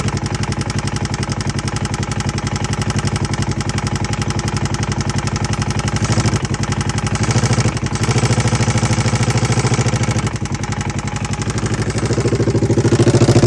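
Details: 2011 Polaris RZR 900: rapid, fairly regular knocking about two per second over a lumpy idle; top-end knock, owner suspects timing chain or valves, not confirmed.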